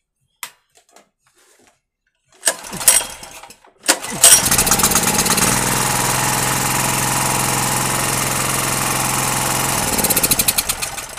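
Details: Gasoline generator that wouldn't start after long disuse, after a valve clearance check and lubricating the governor spring and rod with WD-40. A few pulls, then it catches and settles into a steady run without hunting or misfire. Normal running.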